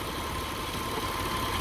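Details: 2003 Mitsubishi Eclipse GTS 3.0L V6 at idle during mass airflow sensor replacement for code P0102: a steady, even idle hum with no whine rising above it. The previously whining power steering is quiet. Normal, smooth idle.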